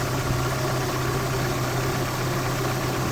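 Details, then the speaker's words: Citroën Xsara Picasso 1.8 16V petrol at idle after ignition coil replacement (used coil) and new Denso KH16TT spark plugs; earlier a felt misfire with no fault codes. Now steady, even, smooth idle with no stumble and no warning lights: normal. "Silniczek pracuje równo że nie powinno być problemów"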